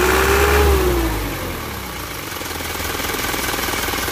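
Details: Isuzu Elf Blue Sky diesel truck, tuned: rev drops back to even, steady idle rumble with no knock; normal diesel revving.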